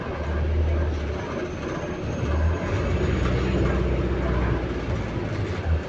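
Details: Stagecoach London North bus SLN 12337 on route 122: steady low rumble under way with an intermittent deep droning hum that comes and goes, mainly while moving. Source not identified.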